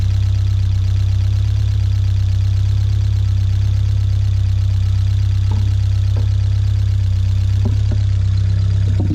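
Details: 1979 Fiat 124 Spider four-cylinder, about 3,000 miles, fully warmed up with the fan on, after resetting the drifted ignition timing to about 18–20 degrees; steady, even idle with no misses or hunting. Normal.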